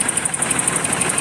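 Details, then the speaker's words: 1988 BMW 528e at idle, with the injector 2 spark plug wiring left unplugged so it is missing; regular pulsing thump about twelve times a second, uneven shaky beat, shaking a lot; owner suspects it needs motor mounts; rough idle. "it's shaking quite a bit i think it needs motor mounts"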